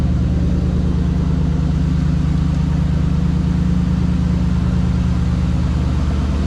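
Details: 1996 Ford Mustang GT V8 after replacing spark plugs, wires and coil packs, cold air intake refitted: steady even low rumble with no misses, knocks or ticks; normal smooth idle.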